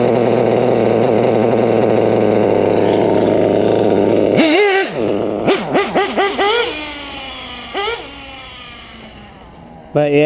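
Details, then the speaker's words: Nitro RC engine (modded LRP .32) on a top-end tuned pipe: steady high idle, then throttle blips that bog and hesitate before revs climb, sounding lean down low; weak bottom-end response. "yeah this pipe yeah it's a top end pipe no bottom end though you can hear how it wants to hesitate"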